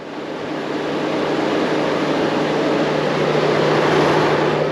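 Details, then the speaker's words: Chevrolet Tahoe, key off and engine off: steady rushing cooling-fan roar with a low hum. The fan stays on high while driving and after shutdown, and the temperature gauge sits at 160 degrees. Tagged thermostat and P0128. "So I get a phone call about this vehicle right here, and you hear the fans running, keys off. I got the key right here. Keys off, engine isn't running, but the fan is running."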